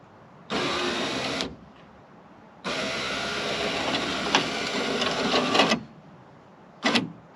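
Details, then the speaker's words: Power window motor taken from the rear driver door of a '93 Toyota pickup, bench-tested for a Toyota 4Runner rear window: two smooth electric whirs of about one and three seconds, up then down, with no grinding, working normally. "perfect well that worked now remember this motor motor was out of the rear driver's door"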